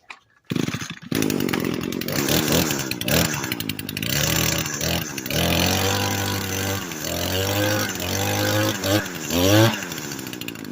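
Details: Echo SRM 225 string trimmer that wouldn't start, after fixing: crisp two-stroke buzz rising and falling cleanly through throttle blips with no stumbling; running properly, though it died once earlier, suspected from WD-40.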